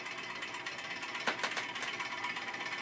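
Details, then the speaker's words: Vintage Arctic Air fan, bearings oiled, run on a variac with a series 150 W bulb: soft whirring with a faint tick each turn, once or twice per second. Owner suspected a bent blade; the shaft is loose, pointing to a loose blade hub. "seems like something might be a little out of kilter maybe a fan blade is a little bit bent"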